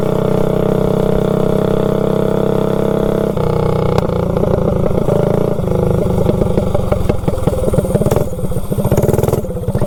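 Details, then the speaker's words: Predator 224 GTS minibike with a generic 16-tooth 3/4-inch-shaft centrifugal clutch, new and possibly not broken in, on a road ride: small revs, then on take-up the drive shudders with choppy, uneven pulses. It grabs less smoothly than the previous Max Torque clutch. "you can hear it when you get on it how it grabs I mean it grabs but it's kind of choppy"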